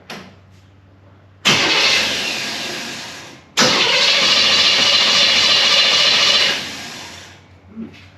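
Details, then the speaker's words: 1964 Chevelle with Holley carb, fuel delivery problem where it dies on throttle: two long cranking bursts that never catch; needs another accelerator pump shot of fuel. "yeah it just just need another whack on the uh the accelerator pump to get a little bit of fuel in it"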